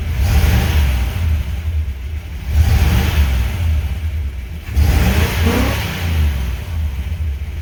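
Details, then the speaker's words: 1968 Pontiac Ventura after replacing the worn factory exhaust with a new Thrush turbo muffler and pipes, heard from the rear while driving: deep, throaty, even rumble on three throttle blips with no rasp; healthy, though owner thinks he hears one leak. "It's nice actually hearing exhaust back here."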